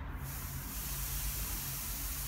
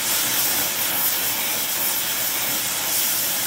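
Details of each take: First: Air Products Integra oxy-acetylene cylinder with integrated regulator, number 10 tip, oxygen pressure hard to set at about 4 psi on a gauge reading to 380 psi: steady loud hiss from the torch, oxygen louder than acetylene. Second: Air Products Integra oxygen and acetylene cylinders with integrated regulators and flashback-arrestor quick connects, small mixer torch welding; aiming for 4 psi on a 380 psi gauge. Steady, even, smooth hiss, no popping or sputtering; normal oxy-acetylene flame.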